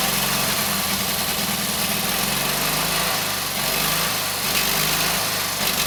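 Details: Kohler KT17 twin, first start after governor rebuild: even, steady idle with smooth low beat, no knocks or misses. Oil pressure 50, governor pulls throttle back, timing good; carburetor high/low needs tweaking.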